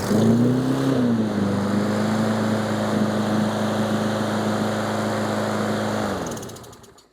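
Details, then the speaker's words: Troy-Bilt 21" mower with Briggs & Stratton engine, first start after carburetor cleaning, air filter not yet fitted: catches quickly, holds a steady even drone about five seconds, then winds down cleanly; a fuel-line drip was found afterward. "All right, she fires up pretty good. We'll get the air filter assembly on there."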